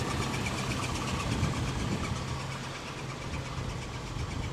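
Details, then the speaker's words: 1984 or 1985 Volvo 240 GL, B23 2.3-litre four-cylinder, about 140,000 miles, untouched: smooth, even idle with a steady low hum and the characteristic airy fan whoosh, no knocking; sounds normal, needs only an oil and filter change. "They're very characteristic with their fan noise. Yes. You hear them come down the street. Yes. It's a bloody 240 because of the fan noise."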